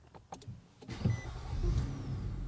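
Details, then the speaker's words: 2012 Nissan Altima SR V6 restarted after a test drive, in a garage at about 35–36°F: a few light clicks, then the engine fires promptly and settles into an even, steady idle, a clean normal start. "Starts perfect."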